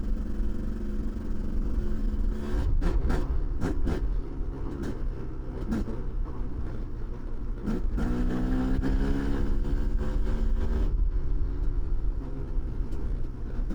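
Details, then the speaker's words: Kawasaki KDX 200 two-stroke with fresh piston and top end, break-in ride in second and third gear with blips, then shifting through gears toward wide open; clean rise and fall, no rattle or bog. Normal running. "he's going to break it in and just ride it around second third gear just little blips blip blip for five or 10 minutes and then he's going to get on it a little bit and shift through the gears and let it get to wide open a little bit so you can hear what this thing sounds like"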